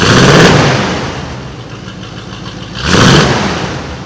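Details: '89 Chevrolet V8 with newly fitted aftermarket exhaust, 4-in-1 headers and tips: deep, even burble with two brief throttle blips rising and settling back to a steady idle; runs clean and healthy.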